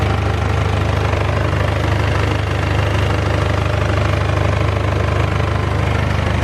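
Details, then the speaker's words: BMW E46 with 200,000 miles warming up after repair: the engine idles smoothly, with a light metallic rattle of about three per second from an exhaust leak, the downpipe flexi suspected gone. "The rattle that you can hear is the exhaust."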